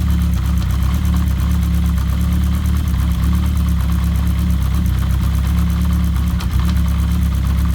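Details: Kawasaki GPz750 Turbo at idle: steady idle with fast light metallic rattle ticking on top of the engine note; cam chain noise.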